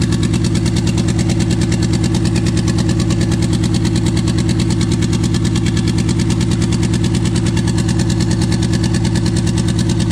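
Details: Toyota 2JZ engine swapped into a 4Runner with twin-turbo ECU, first start: fast idle near 1900 rpm with a pulsing, uneven beat under the exhaust drone; misfire later traced to injector adapter connectors not making full contact.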